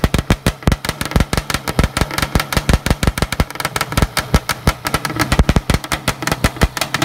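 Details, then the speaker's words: Banshee twin two-stroke with an engine four years old, free-revved before the shop: sharp, crisp crackling pops, uneven with throttle blips and strong throughout. Normal, healthy two-stroke running. "this engine here has got four four years on it and she still sounds great on fire it for you guys real fast"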